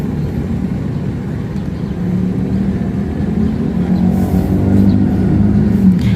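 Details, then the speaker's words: Daikin (Thailand) split A/C with a very slow fan and dry pipes, not cooling: low fan rumble with a faint steady hum from the compressor that grows louder; the compressor fails to start because of a failed capacitor. "Perhatikan baik-baik, teman-teman, kipasnya berputar sangat lambat dan terkadang terdengar suara dengung dari kompresor, teman-teman."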